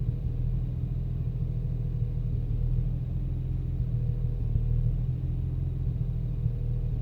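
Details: BMW 335i at idle after fitting VSRF downpipes, fine before the install: low, uneven rumble wavering in strength, and the car shakes. Rough, fluctuating idle, no error codes, cause unknown.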